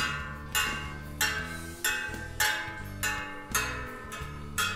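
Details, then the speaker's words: Bicycle wheel on a truing stand, three spokes tighter than the rest: spokes plucked about every 0.65 seconds give clear ringing pings at similar pitches; this one's tension sounds acceptable. "As I've showed you on the video about acoustically tuned Eastern EC90 wheel, you may also try"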